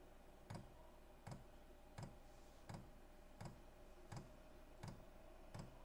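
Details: Cheap Chinese diesel heater running on kerosene from 12 V batteries, starting up on setting H3: sharp, even clicks at about 85 a minute in a quiet garage; dosing fuel pump ticking normally.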